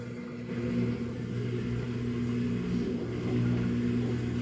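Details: Samsung washer with 5E drain code, empty drum, running spin only: steady low motor hum with a light even whirr, no rattling or straining; drains and spins normally, leftover puddle due to no rear drain holes.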